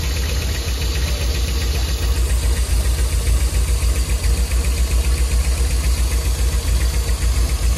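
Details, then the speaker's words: 1991 Nissan 240SX petrol engine idling after fuel treatment, before new plugs, wires, cap and rotor: uneven, lumpy, pulsing low rumble from a misfire, with the engine shaking heavily, suggesting worn engine mounts. "did you hear that that's misfiring this was firing like crazy man we're gonna need some mounts look how that thing's shaking"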